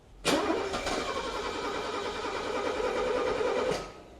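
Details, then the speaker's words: A Bosch K-Jetronic engine cranks steadily for about three seconds without catching. Control pressure from the warm-up regulator is under 2 bar against a 3.4–3.8 bar spec, and the regulator stays cold, so its heating element is suspected. Low fuel control pressure prevents starting. "So if your fuel pressure, which is controlled by the warm-up regulator, is off, you can't even get these engines started."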